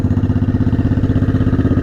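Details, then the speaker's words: Honda Shadow 500 V-twin after its restoration first start, with both exhaust pipes now warm: an even, loping two-cylinder idle with no misses or stumbles. Normal idle. "Go now, she's running like she should. Are both the pipes hot? Yeah, both the pipes are warm now."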